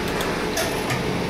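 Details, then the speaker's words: Injector from a 6ChRN36/45 diesel on a pressure test, set to 200 ±5 kgf/cm²: short crisp crackling snaps as the needle lifts, no dribble; normal chatter showing the injector works correctly. "слышите характерный треск как бы храп при срабатывании иглы это нормальное явление так должно быть признак того что форсунка работает нормально"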